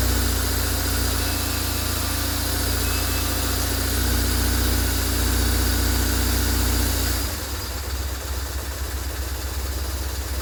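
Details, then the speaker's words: 2003 BMW R850R flat-twin, which died on the highway from a fuel pump issue, running after repair pending a new pump; still cold on choke, idles steadily with a deep even pulse, settling lower and smoother; runs fine. "still a bit cold but it runs so we uh it runs good it um still run it's still a bit cold so it's still on choke"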